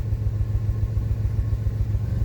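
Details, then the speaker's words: 2005 Pontiac Grand Prix idling in park: a deep, lumpy idle with an uneven stumble every few beats, a single-cylinder misfire on cylinder one from a failed ignition coil. "So, it is just one cylinder. This thing feels pretty bad on a single misfire."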